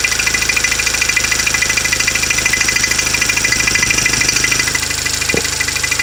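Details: 2016 Toyota Camry 2.0 6AR-FSE, 22,000 km, at idle: light, fairly even metallic ticking about two to three per second over the idle; engine knock, cause unknown.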